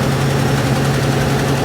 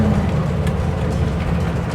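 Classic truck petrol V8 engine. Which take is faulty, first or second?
second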